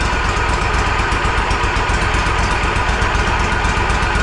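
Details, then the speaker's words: Walker Superbee 52in mower engine, parked since April, just started after blowing air into the tank to push fuel: uneven stumbling beat about four pulses a second, near stalling, would cut off with throttle; suspected fuel issue, not confirmed. "So it's running, but it sounds like shit. If I mess with the throttle, it's gonna end up cutting off. Hoping it'll clear up, leave it run, let it clear up."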